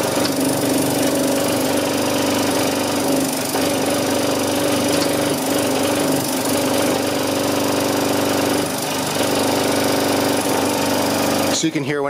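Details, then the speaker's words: Kromrey generator motor on a 35 Ah battery, coils shorted by hand away from the optimal top-dead-centre point: the steady drone briefly dips and labours under the shorting load. Peak-to-peak output rose from 92 V to 528 V. "the motor down I'm not shorting in the optimum place kind of hard to do it by hand"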